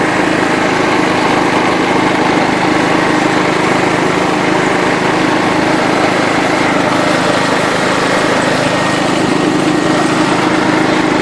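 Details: John Deere LT133 lawn tractor, after restoration, driving in fifth (top) gear of its five-speed shift-on-the-go transmission; steady, even engine drone with no misses or stumbles, running normally and healthy.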